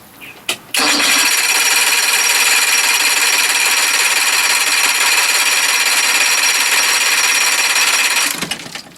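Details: Johnson 60 HP outboard that lost spark while fixing the fast start lever, primer heard, gas smell, possibly flooded: starter whirs steadily about seven seconds with no firing or catching; cranking with no spark.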